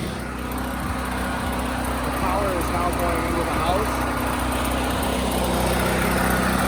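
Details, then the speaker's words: Firman tri-fuel generator running on natural gas, showing 240 V after starting with choke then returning choke to normal; steady, even hum at constant pitch with no surging or misses, running smoothly under load. "everything's running now"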